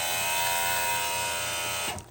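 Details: Small plug-in water pump for van shower from 7-gallon jug, no on/off switch: loud high buzzing whine holding steady then cutting off, strained with poor flow; owner suspects it wasn't snapped in tight enough, works after reseating.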